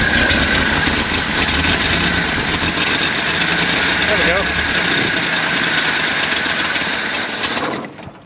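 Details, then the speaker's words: 1972 Datsun 240Z inline six being revived after a starter replacement, with fuel poured into the carbs: ragged, stumbling run that dies out, only about three cylinders firing; an old, failing coil or timing is suspected. "It's It's really only running three cylinders per inline six. Too bad."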